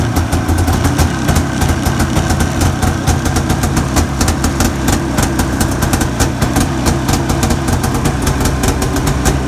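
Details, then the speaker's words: Arctic Cat 570 snowmobile, Japanese two-stroke engine, electric-started at minus 40 on new Varta AGM battery with full choke; busy, crackling idle with quick, even popping beat and no misses; normal cold idle. "ну ладно хоть буду знать что он заводится в такой мороз минус 40"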